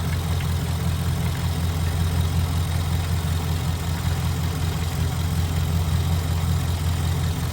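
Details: Ford F-150 at a dealership, shortly after a cold start with some smoke: steady low idle with faint uneven tapping about twice a second, heard through the open dipstick tube. Internal knock, cause unclear.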